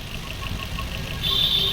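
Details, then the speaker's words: Maruti Swift BS6 with CNG fitted, idle after three ignition coils replaced to cure misfire: light, even idle with soft regular tick and faint high whine joining halfway; now quiet and smooth, no missing. "तीनों कइल change हो गया दोस्तों और अब गाड़ी silent हो गई है"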